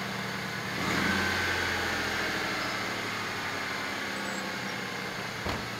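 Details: 1996 SN95 Ford Mustang after new sensors, spark plugs, plug leads: engine catches about a second in and settles straight into a steady even idle with no misses; healthy start.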